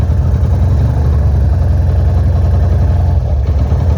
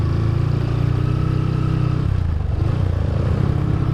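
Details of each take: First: GL motorcycle just fitted with replacement carburetor: steady, even low single-cylinder rumble with smooth unbroken beat at idle; normal idle, air mixture screw still to be tuned. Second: Suzuki GL motorcycle before carburetor swap, in gear: rough running sags twice, nearly dying before picking back up, won't hold low RPM without throttle held; near-stalling at idle, cause not stated.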